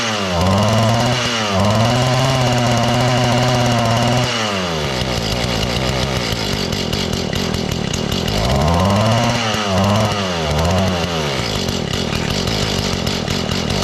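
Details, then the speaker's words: Mantis two-stroke tiller after carburetor adjustment, low speed 1 turn out, high speed 1.5, idle raised slightly: engine surges up and sags back instead of settling, possibly too rich at idle; unstable, surging idle. "Still doesn't want to idle real good."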